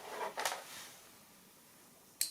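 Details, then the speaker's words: Relay bench test from a 2004 Toyota Avensis D4D that won't start cold: coil 166.3 ohms, energized at 12 V; single sharp click, contacts close to 0.2–0.3 ohms, relay switching normally. "Voilà, donc on entend que ça fonctionne bien."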